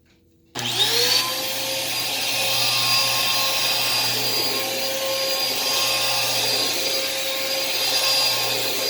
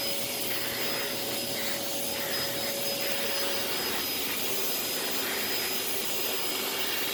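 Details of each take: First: Thrift-store Dirt Devil vacuum running: steady high motor whine with no brush-roll thrum, suction present but possibly somewhat low or clogged; snapped drive belt leaves brush free-spinning. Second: Thrift-store Samuel canister vacuum, dirty filters and needing cleaning, slight smell: smooth even high whoosh, faint steady whine, quieter, no grinding or surging, strong suction; normal vacuum motor running.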